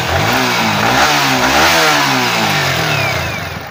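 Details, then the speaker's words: Yamaha R15 V3 revving cleanly after stator coil replacement, no hum, whine or bearing noise; battery charging 13.74 V at idle, battery somewhat low; normal engine revving. "சவுண்ட்ல்லாம் அருமையா இருக்கு. எந்த விதமான humming noise bearing noise வரல."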